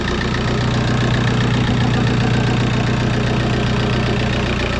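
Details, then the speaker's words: Bassvan project van first start running off its fuel tank, a bit smoky, gauges dead: after briefly seeming to die it settles into a steady, even idle with a smooth low hum, no misses or knocks. "oh is it dying oh no it's just chilled out oh it's idling so nicely"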